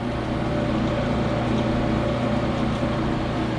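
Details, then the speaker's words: Smith & Mills shaper's electric motor on 480 V, first run after being moved into the shop: instant start, then a steady, even hum with no knocks, whine or roughness. "okay instant starts up that motor runs nice and smooth too man"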